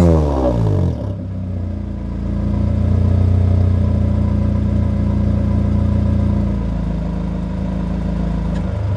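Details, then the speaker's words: 1997 Honda Accord after exhaust leak fix, new gasket fitted and headers rebolted, warmed up: engine climbs smoothly through a rev and settles into a steady idle with no ticking or puffing from the exhaust joint. "i'll let it warm up and then i'll give you guys a little rev so you guys can hear how it sounds"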